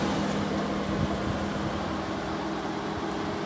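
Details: VW TDI diesel (Golf/Passat/Touran), engine off after a long motorway drive: steady whooshing cooling fan drone with low hum, normal fan run-on for a few minutes while the DPF regeneration completes.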